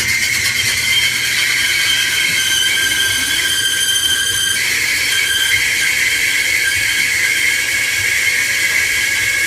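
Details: Kenmore (Whirlpool-made) dryer, model 110.77082600, about ten years old, running with a loud, steady high-pitched screech from the belt over a seizing idler pulley. Fixed by replacing the drive belt and idler pulley.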